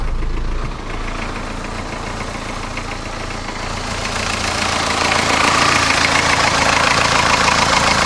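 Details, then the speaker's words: 1982 Isuzu I-Mark diesel at about 149,700 miles, running on a waste vegetable oil mix, cold start after a longer glow plug time: it fires right up and settles into an even, steady clatter that slowly picks up, a healthy idle. "now we're going to crank it up from a cold start I usually let the glow plug run a little bit longer than normal she fires right"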